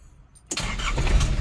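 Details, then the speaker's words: 1994 Nissan Big M BD25 2.5 L four-cylinder direct-injection diesel pickup: brief crank, catches at once and settles into a steady even idle with no stumble; starts easily, normal start. "ติดเลยหรอติดง่ายติดง่ายโอเคงั้นเดี๋ยวไปทดลองขับขี่กันดีกว่า"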